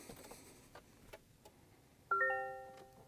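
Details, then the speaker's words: Toyota Tacoma with a 41.22 kill switch replacing the factory starter relay, switch active: pressing start gives a few soft clicks and a chime but no cranking. No crank, kill switch active. "you can see it does not start."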